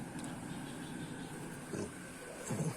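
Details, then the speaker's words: Two-door fridge with a not-cooling fault, retest after repair with power restored: the compressor runs again and the freezer fan motor works, heard as a steady low hum with a faint fan whir and no rattles or clicks. Normal operation. "nah disini pastikan kompresor kembali bekerja ya karena kita sudah yakin tadi normal ya e-cash selanjutnya kita cek untuk lampu penerangan juga sudah aktif Hai kemudian di bagian freezer nya ini fan motor pastikan bekerja penerangan juga sudah bekerja mantap"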